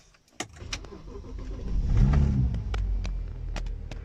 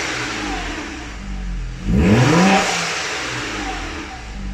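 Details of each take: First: Car upgraded to hybrid turbos: engine revs then drops off with a rapid fluttering chatter from the intake side, the compressor surging because the blow-off valve spring is too stiff. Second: Turbocharged car fitted with the correct blow-off valve spring: two sharp revs, each followed by a clean hiss as the throttle shuts; boost now dumps through the blow-off valve rather than back into the intake.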